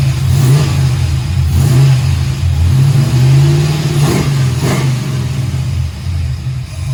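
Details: 1968 Camaro V8, second start-up, Holley EFI lacking correct injector data, idle still to adjust: deep strong rumble rising and falling smoothly on throttle blips, no knocks or misses; slightly smoky from oil in cylinders, oil pressure shows error; normal revving.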